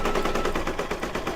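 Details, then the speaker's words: Brother DZ 820E embroidery machine stitching an applique mug rug: quick, even needle rattle at a steady clip with slight pace changes as it regulates its own speed; normal stitching. "He kind of has a song, doesn't he? Me, It's got a nice sound to it."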